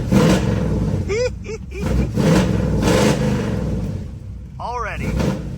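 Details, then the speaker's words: 1973 Dodge Challenger big-block V8 with HEI ignition: blips up unevenly with a hesitant catch and faint cough on the rise; a light off-idle stumble remains, the cough it has always had despite multiple distributors and HEI modules. "much better. Still a light stumble. Let's see what the timing looks like. Did you hear it cough? That's what it's always done."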